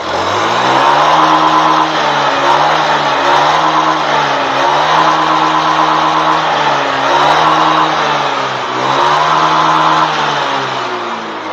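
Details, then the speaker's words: Honda Beat FI scooter after manual ECU reset: crisp single-cylinder note picks up cleanly on each blip and settles back smoothly without lag or hesitation; healthy and responsive. "oke teman-teman ya suaranya pun langsam enak terus Engak ngeleg enggak Del"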